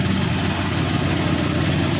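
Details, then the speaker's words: Honda Vario 150 scooter idling after repairing the faulty cam chain tensioner (adjuster) that caused a ticking engine noise; the ticking is gone and the engine is back to normal, idling smoothly with a steady low hum. "Oke suara mesin sudah kembali normal guys ini dia suaranya ya"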